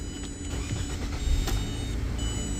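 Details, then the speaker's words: 2016 Nissan Rogue with a no-start, aftermarket tracker bypassed at the IPDM: engine cranks and settles into a steady, even low rumble with no stumble; normal start, confirming the tracker caused the no-start. "She cranked on up. So that tells me this tracker right here is not doing what it's supposed to do."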